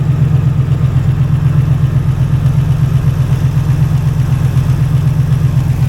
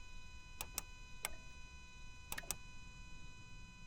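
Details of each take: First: Ex-rock-quarry auction truck with 297,000 miles, bought as inoperable, idling right after its first start; muffler has a hole. Low, steady rumble pulsing about four times a second with no knocks or misses, a normal smooth idle. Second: Auction truck after fixing power feed to the starter: key turn gives sharp single starter clicks but no crank; starter suspected bad.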